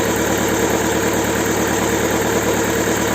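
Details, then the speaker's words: Alfa Romeo 147 idle pulsing unevenly, about two beats a second, hunting instead of settling; blown head gasket letting coolant into the cylinders, with cylinder 4 misfire and white antifreeze-smelling exhaust smoke. "They dance until you also notice the instability of the engine. Ok. How could we also find out that this head gasket is bad?"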